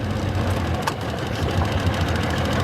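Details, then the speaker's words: Tohatsu two-stroke outboard after cleaning the dirty primary fuel filter and draining the float bowls: even steady low burble at idle, consistent beat, no stumbling; running cleanly on all cylinders. "all right I think we're I think we're working seems to be running great"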